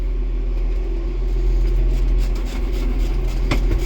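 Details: John Deere 7420 tractor at about 5,455 hours after oil change, with injection pump and injectors replaced earlier curing a suspected bad-fuel knock: deep steady diesel idle, smooth and even, no fuel-knock rattle.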